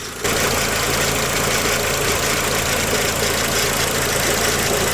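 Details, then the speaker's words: VW Passat B5.5 with weak power steering, running after fluid was added: a loud, steady whine and hiss at idle; owner suspects the pump is still low on fluid; power steering whine. "since we're still making a terrible whining noise I'm guessing there isn't enough in it"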